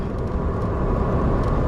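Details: 2008 VW Jetta 2.5L after new Bosch ignition coil packs replaced misfire-prone ones (P0301/P0302 codes, earlier injector swap): steady low engine drone lugging in 5th gear around 25–30 mph, no stumble, shudder, clunk or hopping; pulls smoothly.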